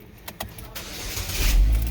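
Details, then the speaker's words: 2011 Chevy Equinox cold start while monitoring upstream bank 1 O2 sensor on scan tool: brief crank, catches and rises to a steady, slightly high cold idle; mixture goes rich, normal cold start. "Start it up. You can see it immediately goes to a richer mixture upon the cold start. It's still idling kind of high because it's a little bit colder, so the voltage is going to be higher."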